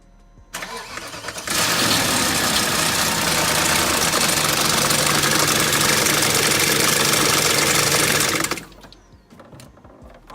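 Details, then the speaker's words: 2000 BMW 540i, about 150,000 miles, with a failed timing chain guide: engine starts and idles with a loud, busy metallic rattle over the top end, the chain slapping; only run briefly. "So I got this car, which is a 2000 540i, but it has the failed timing chain guide. So when you start it, you know what? Let me start it. So you can hear it. It rattles and shit."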